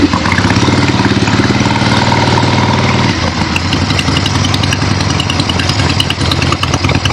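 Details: Finished 1975 Harley-Davidson XLH Ironhead Sportster after rebuild, basically stock, real road test ride with gas tank fitted, camera clipped to rider: strong, even V-twin beat pulling cleanly under load, no knocks or misses; engine healthy, runs great.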